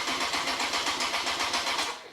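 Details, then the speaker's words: Freshly rebuilt Honda CBR954 Fireblade, first start after six months, fuel completely drained beforehand; fast, even cranking that never catches. Owner suspects no fuel getting through; cause not yet found. "right definitely no fuel getting to the no fuel getting somewhere what is going on"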